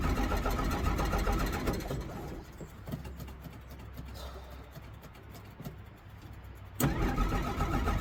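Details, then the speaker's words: 1963 Jeep Gladiator with a probably near-dead battery after the key was left in the ignition. The starter cranks hard, the engine catches briefly, drops back to weak cranking, then fires again. A hard start; owner suspects the electric fuel pump. "You gotta start up and stay cranked up because your battery's probably almost dead."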